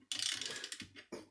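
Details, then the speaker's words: Miele S5211 vacuum cleaner motor with catastrophic failure, rotor turned by hand with a socket: rough, gritty scraping bursts each turn; wrecked motor grinding. "take a socket when I turn it you'll hear grinding not a lot else is happening it's making it smell grinding the sound"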